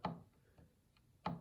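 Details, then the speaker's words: Yamaha G5 piano action removed and on a table, key 35 released by hand: sharp woody click, a fainter one, then another loud click a second later. Suspected jack regulation noise, not confirmed. "And that is the noise that I'm hearing. So there's several through here which are pretty noisy."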